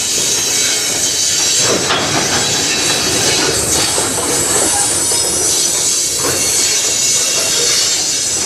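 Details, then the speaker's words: CN train rolling past in Sarnia, Ontario: a steady, piercing high squeal of wheels over the passing cars, which the observer suspects comes from brakes left applied. Wheel squeal. "what that sounds like very squeaky squealy wow did they not turn off any breakes"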